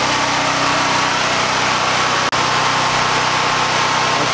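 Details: Predator 9000-watt generator with an 8-gallon tank, freshly filled, started for a home transfer-switch hookup: steady, even engine drone at constant pitch, no misses or knocks, running smoothly under no load.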